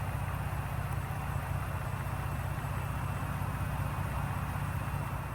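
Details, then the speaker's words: 2018 Ford EcoBoost truck, cam phasers previously replaced, after oil change with Mobil 1 and ProLube oil treatment and 10-15 minutes run time: low, even idle with no tick or rattle; former rattle-tick gone. "I cannot believe that the rattle is actually gone now it gets even quieter once the initial starts over with"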